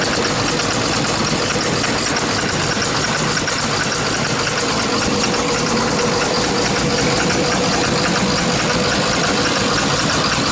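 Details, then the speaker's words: Hyundai R290LC-7A excavator diesel, running rough and blowing black smoke: harsh uneven knocking about three per second over a stumbling idle; knock and misfire traced to faulty injectors, which are removed for bench testing. "Клиент утверждает, что есть проблемы с двигателем. Двигатель работает с перебоями и так далее."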